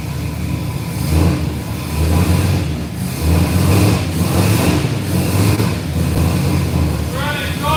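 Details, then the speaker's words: 1967 Chevrolet Camaro after repair of an earlier heavy knocking noise: deep V8 rumble rising and falling through several revs with no knock or rattle; engine sounds healthy, runs and drives. "C right up hear any noises whatsoever and it sounds like a run Str all right I think we got the camarra running and driving"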